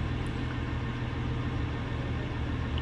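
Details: BMW F01 740Li twin-turbo petrol V8, warm at about 70 °C idling: low, uneven thrum stumbling irregularly, cylinder misfire from a faulty injector, occurring hot or cold and felt as jerks in gear.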